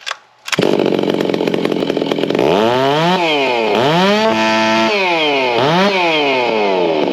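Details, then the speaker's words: Stihl MS660 with a ported iron sleeve, stock carb, factory ignition timing, no filter, on the dyno: screaming pitch sweeping with a blubbery, uneven edge, still four-stroking hard around 14,000 rpm. "the RPM was actually kind of scary um I said you heard that run there it was still four stroking real hard at like 14,000"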